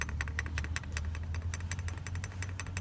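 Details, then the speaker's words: SsangYong idle with fast uneven clicking rattle as the accessory belt oscillates and slaps despite a new tensioner; alternator bearing hums slightly but isn't the source; power steering pump pulley splines are often the cause. "Ó, esse é o barulho que o senhor tá escuta com a correia em alto movimento, como ela oscila seu João."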